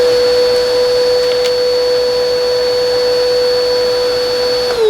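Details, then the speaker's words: Bissell 2259/2252 vacuum, reference of how it should sound: steady even high whine without wavering, pitch sags at switch-off; healthy suction motor, normal running. "What it should sound like. If yours sounds any different, keep that in mind."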